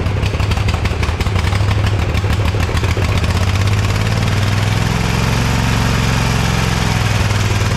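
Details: Ariens Ever Ride Hornet zero-turn, 25 hp Briggs & Stratton twin, 520-some hours, after new Champion RC12YC plugs; loud V-twin idle with uneven clattery beat that never settles, chewed plug wire suspected: still rough running.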